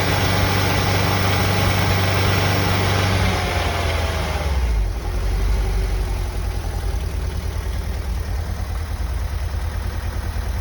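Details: 1990 VW Vanagon engine on cold start: heavy, uneven low knock at idle, about three beats a second over a deep rumble, lessening after about 10 minutes; cause not pinned down.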